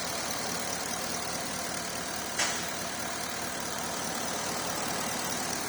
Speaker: pump is done as well there's no more noise coming from there you